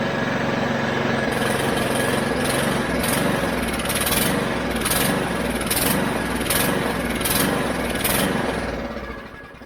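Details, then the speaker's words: Mountfield HP414 petrol lawn mower that starts then dies: beat and pitch surge in waves about every second before fading, runs better on choke; lean running from a dirty carburettor, fixed by cleaning it. "and you can hear it see of and eventually he'll just [Music] die if I choke it like that it runs a lot [Music]"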